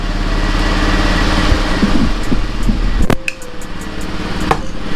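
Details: Zuma 50F (now 50FX single-light conversion) after full rebuild, plastics and headlight fitted: small two-stroke ticks over at a steady, even idle with a few switch clicks; engine sounds healthy.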